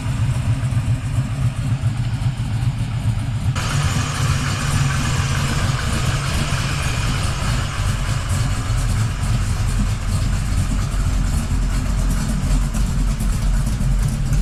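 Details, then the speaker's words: 1979 Camaro Z28 V8 idling, recorded inside the car, after swapping the noisy Pete Jackson gear drive for a double roller timing chain; much quieter; maybe one slightly loose rocker; steady burble, no gear whine or rattle; normal idle. "it is so much quieter inside this vehicle we'll try to throw up a little clip to kind of show how how much quieter it is"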